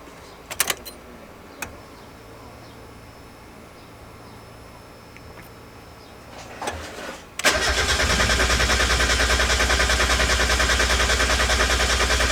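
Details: 1990–1993 Miata with newly installed SpeedyEFI plug-and-play standalone ECU, first start attempt: even cranking about 200 per minute, never catches; wrong MAP sensor calibration.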